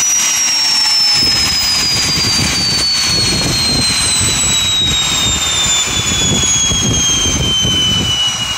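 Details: Tiernay turbine run again after sitting two years, following repair of a high-pressure fuel line. Steady roar with a high whine slowly sinking in pitch as it winds down, no knocks or rubbing: normal running.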